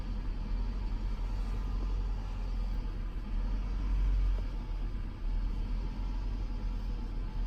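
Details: 2006 Toyota Camry petrol idling low with an uneven, stumbling rumble; misfire occurring only at low rpm, cause unknown.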